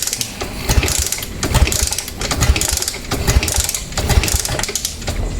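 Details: 2017 Suzuki Smash 115 motorcycle with a piston-type carburettor: steady churning about once a second as the kick-starter turns it over, but it never catches. The spark plug cap had lost its connection and was replaced; cause not confirmed.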